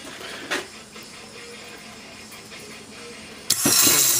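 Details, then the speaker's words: Tecumseh Snow-King electric starter bench-tested after cleaning: quiet, then a sudden loud whirring spin-up as the drive engages; healthy, freely turning starter. "So you fire it up right here, you can see how it works."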